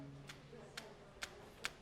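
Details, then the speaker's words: Refurbished iPad Pro with replaced screen, pressed at one spot: four sharp clicks as the screen shifts because the bonding glue was not properly applied; risk of screen coming out if dropped. "And what's happened here is the glue that bonds the screen to the frame hasn't been properly applied and that's why you're hearing that movement."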